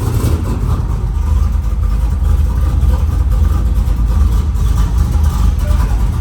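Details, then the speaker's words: F-body street car first started after fitting a Texas Speed Magic Stick 4 camshaft, air cleaner off. Deep, lumpy, loping idle rumble, a choppy sound typical of a big-cam engine running healthy. "I think I'm more impressed with the fact that it started up and ran, but it does sound a little choppy."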